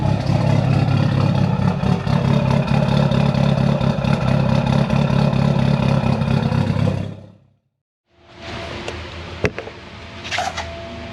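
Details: Built Mitsubishi Evo 8 with Kelford 272 cams, after replacing the failed IAC with a 2000-up Eclipse unit and a richer idle tune. An uneven loping idle pulsing about four times a second, then the engine shuts off: intended big-cam lope.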